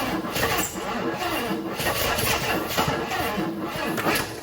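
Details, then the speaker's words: 1980 Jeep Wagoneer, owned three years, being revived for sale, with the battery running down; several seconds of steady rhythmic cranking with a few weak catches that never take hold, strange sounds noted: cranks but does not start. "She's sure thinking about it. I don't know what it is that she's thinking about."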